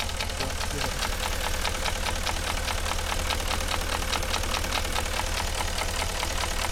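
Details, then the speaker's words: Porsche Cayenne Turbo 4.5 V8 at idle: steady, rapid knock of several light raps a second, piston slap from scored cylinders; it smokes and uses about 4 L of oil per 1000 km. "Так же само все стукало от чуєте це стукає поршень"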